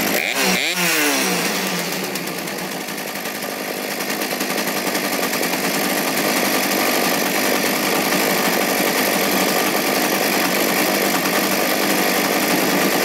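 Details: Poulan P3416/P3314 chainsaw idling outside after cleaning, hose replacement and a carb rebuild with a HIPA diaphragm kit: steady, even high buzz with no hunting, sputter or dropouts; saw runs clean and settled.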